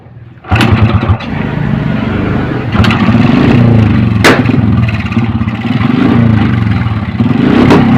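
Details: Honda Supra X 125 with intermittent ignition spark, after ignition rechecked: engine catches straight away and settles into a steady idle with a few clean throttle blips; running properly again.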